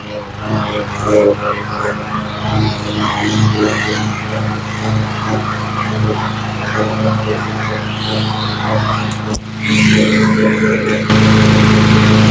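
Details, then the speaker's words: Cub Cadet mower that sat a year, carb cleaned including corroded emulsifier tube, fresh gas and new fuel line; small engine settles into a steady, even putter with no misses, then speeds up, touch of smoke, running normally. "I turned off the mute you know the sound deadening so you can hear it she sounds really good Touch of smoke Touch of gas"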